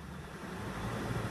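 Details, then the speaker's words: Box van converted to racing support RV, Ford, engine briefly revved after running: short quiet blip rising smoothly in pitch without stumbles or knocks; revs smooth and quiet, normal. "let me let me let me rev it just a little bit for you so you can hear her revs smooth and quiet"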